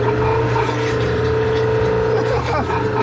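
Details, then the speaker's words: Maytag MVWC416FW0 high-efficiency washer on drain and spin, clunky noise: motor holds a steady hum and whine but basket can be stopped by hand; drive motor pulley stripped and slipping, fixed by replacing drive motor W11026785. "would say there's something stripped out in there i shouldn't be able to stop that"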